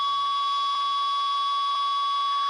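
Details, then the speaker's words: Ten Tec Paragon #1 (working transceiver), AM transistor radio held by the processor: steady whistle with faint even tick once a second, the real-time clock interrupt keeping time for the display, no extra digital hash; CPU noise lower than non-working unit; normal. "you can hear the real time clock ticking tick tick tick tick that's the interrupt from this board for the actual 1 second Paul keeping time"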